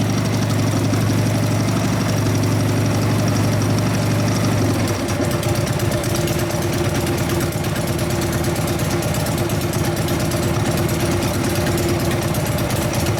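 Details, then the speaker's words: 1999 80ci Evo V-twin, after rejetting (low-speed jet 29.5): lumpy idle picks up cleanly to steady higher rev, firing even and crisp, not too fat at full throttle; normal running. "Taking the throttle a little bit better, sound a little more healthy. Taking full throttle so we're not too fat on the top end. Sounds good."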